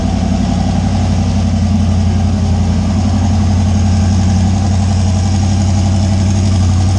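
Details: A deep, steady, even rumble holds without misses or surges for the whole clip: a 358W 80mm-turbo Fox Body V8, just started after block and injector grounds were connected, idling smoothly.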